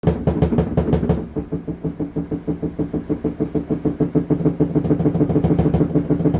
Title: LG washing machine noise, getting worse